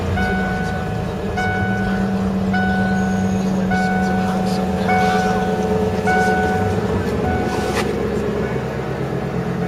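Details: Lincoln Mark VIII V8 just cold-started after sitting unrun since November over winter: smooth, steady even low drone with a repeating chime over it, no ticks or stumbles; normal idle.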